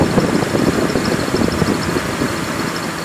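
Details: 2002 Honda Accord idling with a faint high chirping squeal from the AC belt; the low-side Schrader valve was leaking, leaving half a pound of R134a out of 1.5; replacing the belts and valve and recharging fixed the squeal.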